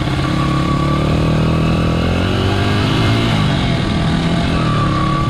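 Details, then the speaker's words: 1995 Honda XR80R 80cc single, the identical properly running comparison bike, full throttle over a 100-yard run: note climbs cleanly and strongly without stumbling or popping, power all through the throttle; normal acceleration. "It's a totally different driving experience. You know, lots of power all the way through the throttle. Just more power in general."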